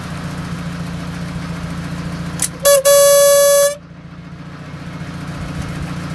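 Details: Mazda FD3S RX-7 idling: sudden loud honk-like buzz, steady mid pitch, about a second, then stops; owner suspects the FSE fuel pressure regulator and wonders if it caused a recent engine death, unconfirmed.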